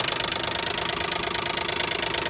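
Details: 2012 Nissan Maxima 3.5 L engine running strong at idle: fast, even metallic ringing rattle over a smooth idle; owner suspects the intake bracket.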